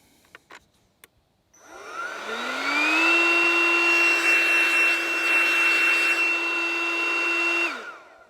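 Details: DeWalt 20V MAX DCC020IB cordless inflator on its high-volume function (used for air mattresses): the motor spins up to a steady, clean whirring hum, holds an even pitch, then winds down smoothly. Normal.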